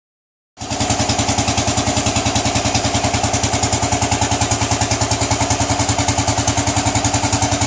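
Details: Royal Enfield Bullet 500 cast-iron engine; even, deep thump-thump at about three to four beats a second, steady; healthy single at normal idle.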